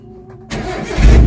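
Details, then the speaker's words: 2012 Suzuki Mega Carry (APV) pickup, odometer 165,000: brief starter whirr, engine catches within half a second and settles into low idle; quick clean start, battery still in good condition. "Nah, begitu start langsung hidup ya teman-teman ya. Jadi tandanya aki masih dalam kondisi bagus ya."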